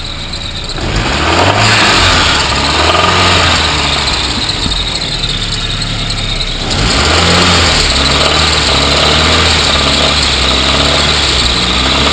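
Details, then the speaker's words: Saab 9000 turbo, stage three tuned and running 20 lb of usable boost, revving with a dull low knock about three times a second plus alternator chirp; a serious bottom-end knock that developed recently. "since then the engine has has developed a pretty serious lowend knock um and it's still a trooper it still it still does what it has to do"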